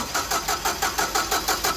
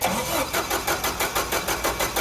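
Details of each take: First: Caterpillar forklift with basic EMCO fuel system, hard start: steady cranking at about six pulses a second that never fires; customer could only start it by pumping the pedal; vacuum leak being checked with brake cleaner while cranking. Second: Caterpillar LPG forklift with a hard start, after fixing vacuum leaks, cranking from zero inches of water regulator pressure: brisk, even cranking pulses about five a second, then the engine catches quickly; normal start.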